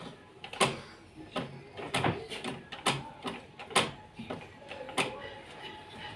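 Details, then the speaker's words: Sewing machine turned by hand at the wheel with the needle jamming: irregular sharp mechanical clacks and knocks; it is normally not this noisy unless the needle sticks. "কিন্তু সাধারণত আপনাদের মেশিনে এত শব্দ হয় না। যখন এই নিডেলটা আটকে না যায় যতক্ষণ পর্যন্ত ততক্ষণ পর্যন্ত এরকম শব্দ হয় না।"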